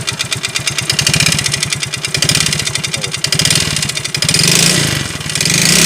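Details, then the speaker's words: Yamaha Mio GT FI that once ran down to about a quarter glass of oil: throttle blips bring a harsh rapid knock hammering harder with revs; mechanic suspects a loose connecting rod with worn piston rings and bore, to be confirmed on teardown. "analisa saya sih ini stang sehernya tangser nya udah oblak terus ring seher nya juga kena nih"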